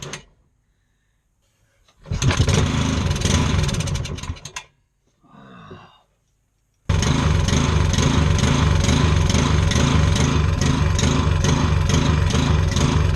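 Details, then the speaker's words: Scrapped lawn mower engine being revived on an engine stand with spark and fuel: two short tries, then it runs rough, its note swelling and sagging as it hunts. Engine surging, with the throttle linkage seen jumping back and forth. "Right, quick pit stop because it was sounded dreadful. But, I mean, it was running, but it just sounded dreadful. So, what I noticed while it was running was this: the throttle linkage was jumping back and forward."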